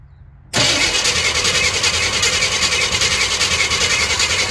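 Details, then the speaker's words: 1987 Chevy K20 plow truck, 350 small block, sitting for years, on a good 12-volt battery: fast, even, loud starter churn with a hissy edge, spinning briskly but not catching; strong cranking, no start, before ether is tried. "all right cool so now we got some good strong crank I'd say we hit her with a little cough medicine and see if she wants to bark off"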